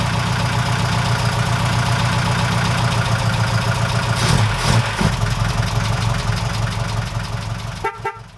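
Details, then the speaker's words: Before-repair recording on a 1969 Ford Capri with Pinto engine: steady petrol idle with light, quick top-end ticking from worn camshaft finger followers, which are then replaced with new ones; valve train tapping from worn cam followers. "Alright chaps, this is just a before for the sound again, so I can hear what it sounds like after the new followers have been fitted."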